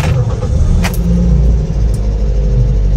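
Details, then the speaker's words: Toyota Vios gen 3, about 27,000–28,000 on the clock, owner complains of noisy engine: steady low idle rumble with busy, rattly top-end clatter just after start-up; valve lifters tapping from excessive valve clearance. "rinig na rinig maingay siya bu natin bintana Ayan oh rinig na rinig yung kalansing niya"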